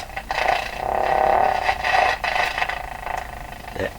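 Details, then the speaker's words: Canadian Spartan Model 5542 tube radio, powered up at low voltage (about 80 V) through a dim-bulb tester, puts out a wavering, sputtering tone pulsing a couple of times per second. Motorboating oscillation is suspected, with a scratchy volume control also noted. "almost for sure this is motor boating"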